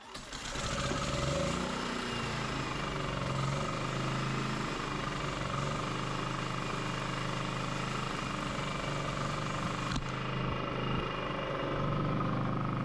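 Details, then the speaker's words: Firman W3300i inverter generator after new ignition coil, pull rope, fuel clamps, cleaned carburetor, repaired chewed wires and reconnected inverter module: fires within a second, steady even hum, no misses or surging; running properly. "Alright, so new coil, new rope, new clamps, clean carb, fixed wires, and inverter module connected."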